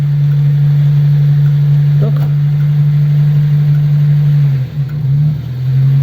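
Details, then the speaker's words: Old 100E engine, after a stuck clutch plate was freed by lurching on the starter in gear: smooth, steady low hum with one brief dip as it drives off, no knocks or slipping; running fine. "and then suddenly the engine fired and it it it was running just like this"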